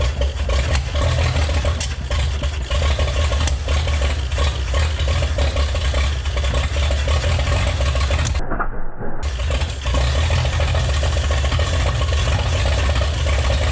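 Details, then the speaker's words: 1961 Chevrolet Impala, base 235 six-cylinder, 3-speed manual, sitting in junkyard about 28 years, revved to clear it out; rough rumble with uneven popping and a brief dropout; owner suspects valve flutter, timing or old plug wires. "kind of sounds like a valve fluttering in there though that pop pop pop that sounds like valve to me"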